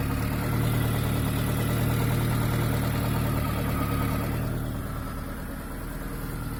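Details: ZAZ Chance 1.3 engine at steady idle with a dull repetitive knock, roughly three or four a second, riding over the engine note; engine knock, source not yet pinned down.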